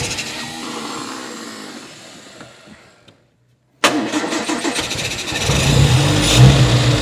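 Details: Restored 1960 Triumph TR3 after crank-no-start, carbs refilled with fuel: cranks, catches, runs fast and uneven with revs hanging high; high idle and carburettors slightly out of balance, possibly a stuck needle and seat freed.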